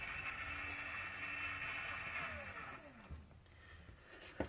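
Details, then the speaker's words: Smoke vent door actuator gear motor on bench at 24 V, 1 A max, suspected faulty: high, even motor whine with gear buzz and fast-turning worm drive for about three seconds, then winds down; runs fine. "So you can see the worm drive's moving, it's rotating pretty fast."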